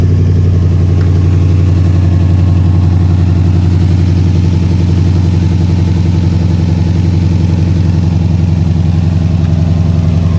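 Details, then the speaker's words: 2013 Mustang GT V8 at idle just after water pump replacement and coolant refill: steady deep idle with a faint, fairly even light rattle that is worse than before; cause unclear, no coolant leaks, known oil leak. "Y'all can hear that? Slight rattle. Hear it? It's even worse now."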